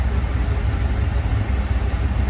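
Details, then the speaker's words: Land Rover Defender 90 with swapped Chevrolet 6.2 L LS V8, idle around 700 rpm, closed loop, 47 psi oil pressure, check engine light showing lean fuel trim on both banks: low, even burble, no ticking or stumble; sounds really good, normal idle. "but the engine if you guys hopefully you guys can hear it over me talking um it it is sounding really really good"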